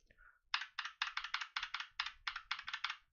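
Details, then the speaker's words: Holy Panda keyboard switch, unlubricated, heard on a GMMK keyboard for comparison with a lubed one: quick bursts of bright, clacky keypresses with a loose, rattly edge; unlubricated key switch rattle. "the difference you can hear their rattling in this one this one is a lot more dampened"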